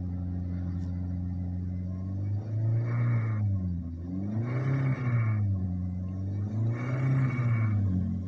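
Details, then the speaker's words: Suzuki Swift revved in repeated surges: a rough, rattly knocking that appears above 4000 rpm; the owner suspects the bearings (metal jalan) or camshaft, not confirmed. "untuk suara kelotok-klotoknya itu timbul kasarnya seperti ini ya"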